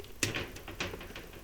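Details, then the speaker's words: Powerwerx SS-30DV power supply, dead unit being repaired, first power-up: faint sparse ticking in a quiet room but no output; owner suspects a wrong-size resistor was fitted. "Not sure if that's good or bad. Do not have any output. I'm really going to bet that maybe that was the wrong size resistor."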